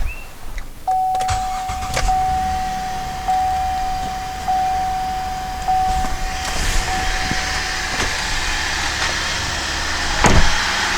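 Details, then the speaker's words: 2007 GMC Acadia, 248,000 miles, A/C weak, R-134a suspected leaking from service ports: at idle the compressor clutch clicks on and off about every second, short cycling with the charge clearly way low. "i started the car and you will hear the compressor cycle but we're clearly way low on charge"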